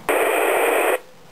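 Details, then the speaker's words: Kenwood TK-880 25-watt UHF FM radio, squelch break function on a programmed key: sharp hiss burst about a second then quiet; normal squelch break. "this one group changer as well this is a squelch break"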